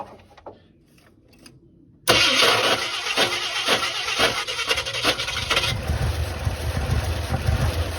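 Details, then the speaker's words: 1976 Ford F-250 highboy, not run in 15 years, after the carburetor was rebuilt for a stuck needle and seat: after a short crank it catches and runs lumpy with irregular chuffs. "heck yeah brother it's run on like two cylinders but holy smoke that's gas"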